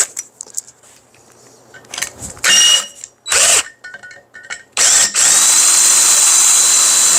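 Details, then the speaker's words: Drilling metal with a sharp bit, after a dull bit had squealed: handling clatter, then a steady, even high-pitched cutting hiss with no squeal as chips fly and the bit cuts cleanly. "Chips are flying now. There it is. And see how the drill bit just kissed it."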